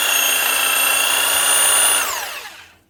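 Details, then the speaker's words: DeWalt DW331 Type 2 corded 240 V jigsaw, previously jammed, humming but not turning, after repair: smooth even high motor whine at full speed, then clean spin-down; pendulum roller working; runs normally. "So I'm going to call that a success. The actual lever, the kick, this roller is functioning properly as well. So that's her. One DeWalt jigsaw that was jammed."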